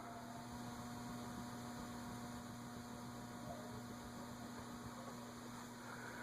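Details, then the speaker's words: Casablanca Delta II ceiling fan on medium speed after freeing stiff, noisy bearings with WD40: steady, even hum with a soft airy wash, no grinding or ticking; earlier bearing noise at medium is gone. "Not getting any now."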